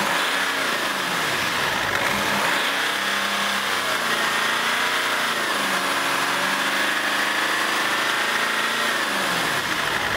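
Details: BMW X5 E53 started right after the EGR valve, intercooler pipe, vacuum tube and EGR pipe clamp were refitted. The engine catches and settles into an even idle with gentle rev swells and no misses or rattles: normal start and idle.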